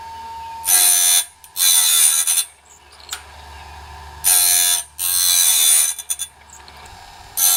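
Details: Norwood BladeMate Pro band-blade sharpener, set up and cutting right: bright grinding bursts every few seconds with quiet gaps as each tooth is dressed; sharpener cycling normally.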